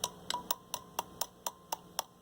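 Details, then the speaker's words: 1960s Skymaster 4-tube TRF AM table radio under repair: tapping a tube, about a 12AV6, gives sharp metallic pings ringing through the speaker about four times a second; tube is microphonic. "12AV6 or something like that. Microphonic."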